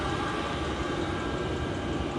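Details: Cheap Amazon diesel heater newly installed under passenger seat box of a 1992 Land Rover Defender, hand in front of outlet: steady rushing roar with even burner hum underneath, no surging or pulsing; running normally, very warm.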